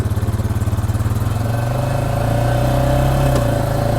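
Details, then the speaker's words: ATV pulling away; steady low throb with a knock and clicking each time it accelerates and takes up drive, jerking the machine; transmission knock on acceleration. "I want you to hear that that clicking and That Knocking cuz it does jerk you a little bit here it is probably heard it again there so every time you accelerate that acceleration it will kind of knock knock"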